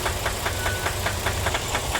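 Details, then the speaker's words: Ram 1500 V8 after running low on oil, warm and idling after running a while: steady light knock about five times a second from low in the engine, not the lifters, rising with revs; first suspected piston slap, now judged a rod knock. "All right. So, it's been running a while and it's it's definitely it's a rod knob."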